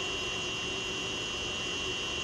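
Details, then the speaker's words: Haas VF-3 retrofit VFD driving motor at about 233 volts: loud steady high-pitched whine near 3 kHz over soft hiss; factory setting of 50 Hz base frequency wrong for this motor, fixed on other drives. "That whining is making a lot of noise. I'll show you why. So the first thing is, and this is the way it came from the factory. I didn't do nothing. It's, you know, it's set up at 50 hertz, just like my other ones here"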